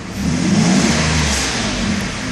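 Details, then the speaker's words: 1992 Mercedes S600 V12 in limp mode, pedal floored: choppy, very slow, hard acceleration, revs rising unevenly; engine held back by limp mode. "actually very choppy very slow acceleration very hard acceleration like it's very difficult for it to rev"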